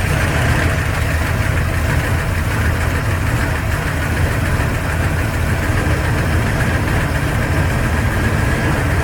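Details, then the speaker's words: Carbureted engine after winter carb tuning in northern Alberta, heat-soaked and already partly warm, choke fully on, on the fast idle cam after two throttle pumps: runs steady and fairly fast with an even rumble and slight lope, sitting on choke fast idle. "and you can hear it trying to come up on it fast idle faster because the engine's already got some warmth to it"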